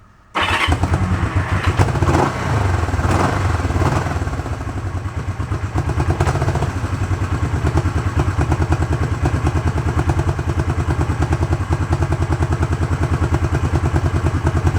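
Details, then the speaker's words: 1971 Honda CB350 barn find, warm after about 1–1.5 hours of running, started with the choke off: it catches at once and settles into an even, steady twin-cylinder idle with no knocks or misses; healthy. "thanks sounds pretty good huh"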